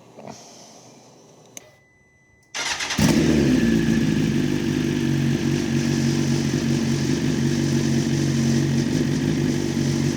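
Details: Wrecked BMW S1000RR being rebuilt, first start attempt with the exhaust silencer removed and a possibly flat battery: quiet, then it catches after a few seconds and settles into a loud, raspy, steady unmuffled idle; it starts and runs normally.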